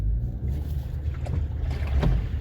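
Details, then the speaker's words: Jeep Cherokee driven slowly after a big rainstorm: low sloshing surges roll over the road rumble, louder on one side; water is trapped in the door because its drain holes are plugged. "I'm trying to find some water noise, and I hear it, but it's not like when driving fast. So I'm gonna slow down and see if I can get y'all to hear it."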